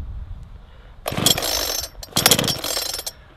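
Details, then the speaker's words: Brand-new Mountfield petrol chainsaw, cold start on choke, chain brake on: two short rough firing bursts after quiet gaps, each dying away; normal firing on choke, fired on second pull. "we're going to start the saw, and we're going to listen for the saw firing. Remember, it probably won't run on choke, but it will fire."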